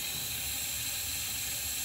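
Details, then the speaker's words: 2005 Ford Super Duty 6.0L diesel, hot no-start with low ICP (P2291): shop air fed through ICP sensor port adapter, steady sharp hiss of escaping air; high pressure oil system leak, usually at the high pressure pump fitting. "hear that air leaking when this thing is all assembled you can hear air leaking but you don't know where it's coming from 90 of the time it's back here on this uh high pressure pump fitting"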